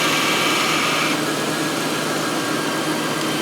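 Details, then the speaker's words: 2000 Ford Crown Victoria engine idling as the AC is recharged from a can with a gauge: thin compressor whine drops out after a second, low-side pressure falling too low, compressor short cycling from low refrigerant; filling slowly, aiming for 35–50 psi. "you can see that when it goes and kicks on the ac compressor it's dropping from low to under its number what we need to do is just slowly fill it"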